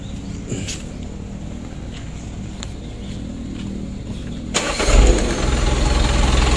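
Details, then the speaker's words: Mitsubishi Canter diesel re-overhauled after only 5 months, restarted after rebuild: quiet, then it catches at once and settles to a steady idle; normal easy start. "salah hidupnya masih inget ya masih mudah tidak sulit"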